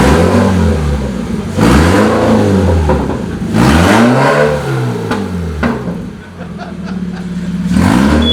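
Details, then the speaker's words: Subaru BRZ/FR-S/86 just after a stage 2 aftermarket clutch install with the transmission refitted. Engine starts, revs cleanly and settles to a steady idle, possibly running a little rich. Normal running. "yeah hurt a little rich I think yeah all right guys Dylan's just reconnecting the driveshaft now we got the transmission back in it seems to be running it seems to be working"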